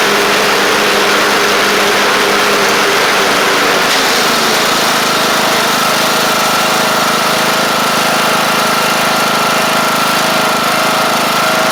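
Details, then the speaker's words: Craftsman LT1000 Briggs Intek single-cylinder engine with an even, steady drone at constant speed, no stumbling or surging; it runs properly and shifts great. A deck belt fell off and a double-stack pulley is suspected bent. "yeah it runs good shifts great"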